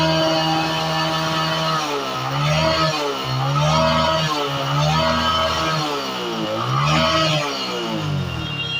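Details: Hero Passion Pro Max motorcycle after its dirty carburetor, which caused stalling, was cleaned: it catches, holds a steady idle, then blips up and down cleanly without misfires or stumbles; normal idle and revving.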